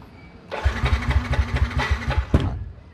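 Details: Yamaha NMAX scooter: the starter spins the engine about two seconds at roughly four even compression beats per second and never catches. Fuel pressure reads four bars, so fuel is ruled out.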